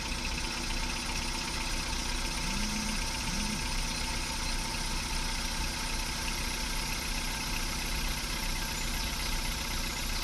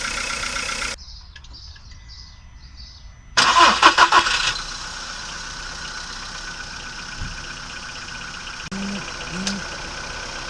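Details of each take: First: VW Polo Sedan petrol engine on Lukoil Genesis Armortech 5W-40, phone held near the closed hood: smooth, even idle after start with the hydraulic lifter clatter of the first seconds gone, no ticking left. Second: VW Polo Sedan petrol engine, cold start after two days parked, phone held near the closed hood, Lukoil Genesis Armortech 5W-40 oil about 5,000 km old: cranks and catches, then light, fast valvetrain ticking from hydraulic lifters in the first seconds; owner suspects rollers.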